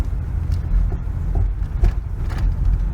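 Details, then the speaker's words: Oldsmobile Cutlass Ciera under heavy throttle after throttle body cleaning and tune-up: engine pops sharply about twice a second like a backfire and sags, nearly stalling; symptom persists, worse than before; owner suspects a fuel issue, unconfirmed. "do you hear that all that popping it's like a backfire and almost stalls out that is the symptom that will not go away"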